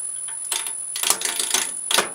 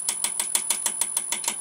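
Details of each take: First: Wood lathe roughing a square blank between centres into a round: uneven chatter broken by sudden loud cracks and bangs as the gouge digs in; tool catch, possibly from a dull tool or bad spot in the wood. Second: okay i'll just show you so you'll hear a bit of thumping and that's not actually hitting at all that's hitting the back this bevel here okay so right down here that's hitting the bevel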